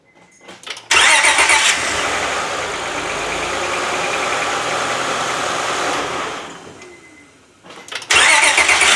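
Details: 2004 Honda Accord 3.0 V6 VTEC after replacing a starter seized from sitting five months, short crank that quickly catches into steady running with no grinding or dragging; starter engaging cleanly.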